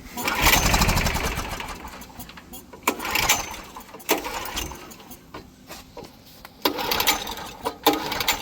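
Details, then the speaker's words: Curbside Coleman Powermate PM1500 generator with stale, leaking gas, primed with starting fluid, run switch on: about five recoil pulls give short spinning bursts but it never starts; owner plans to take it apart and clean it again. "all right so this thing does not want to start so I might have the call one to fail but I'm still not going to give up on it yet"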